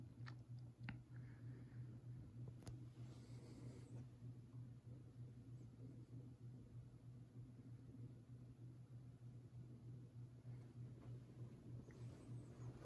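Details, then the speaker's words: 30-inch Westinghouse Wengue ceiling fan on low speed: low steady motor hum with faint, irregular clicks that die down at times. An unfamiliar noise from the fan; cause unknown. "I could feel a little bit of air from it on low foreign making that noise or what that is making something maybe you guys can hear that we kind of died down a little bit there I don't remember it making that noise I don't know what it is"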